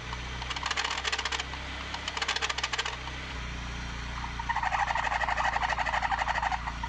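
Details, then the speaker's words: 1990 BMW E30 318is A/C compressor V-belt demonstrated too loose: chirping squeaky squeal in quick bursts over a low engine hum; belt slipping, belt or tensioner should be replaced. "如果你听到这样的吱吱声你的皮带或者你的皮带涨紧器就应该要更换了"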